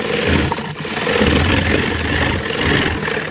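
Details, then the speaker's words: Industrial sewing machine that was breaking thread on buckram, after adjusting the thread path so nothing rubs: smooth, continuous steady whir while stitching, no knocks, snags or stalls; machine runs normally, problem fixed. "देख सकते हैं machine हमारी बिल्कुल एकदम बिंदास चल रही है कोई दिक्कत दे रही है"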